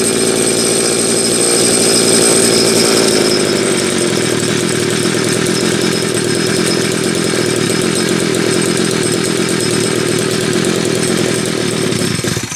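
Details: Homelite 330 chainsaw, once near the trash heap, on its first test run after a quick repair with the oiler starting to pump: crisp two-stroke buzz revs up strongly, then runs steady without bogging before shutting off; normal idle and revving.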